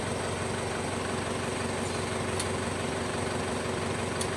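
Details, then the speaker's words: Isuzu Panther Touring turbo diesel started up while the turbo timer is tested: steady, even diesel clatter at idle with a constant low hum and no missing beats; idling healthily. "ini akan Saya nyalakan ini mesin sudah menyala ya teman-teman"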